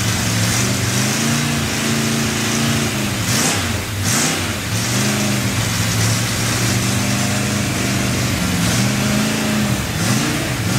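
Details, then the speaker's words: Freshly built Chevy 283 V8 first fire-up, unplugged vacuum port: engine speed hunts up and down unevenly instead of settling; rough running from big vacuum leak, better with a hand over the carburetor. "I didn't ever plug off that vacuum that's why when you saw me putting my hand over the carburetor it sounded better it had such a big vacuum leak"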